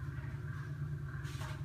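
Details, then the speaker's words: Nutone QT110 bathroom exhaust fan dated June 1998: loud, steady low hum and drone with no rhythm. The fan barely blows and is very weak, pointing to a worn motor, which gets replaced. "It makes a lot of noise, and with the kids taking showers all the time, now I've got water stains on the ceiling, so I'm going to take a look at it today. Let me turn it on. It's loud."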